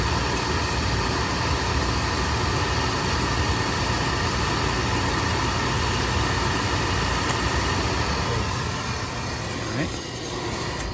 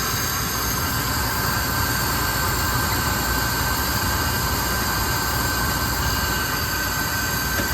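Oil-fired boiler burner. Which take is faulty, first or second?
first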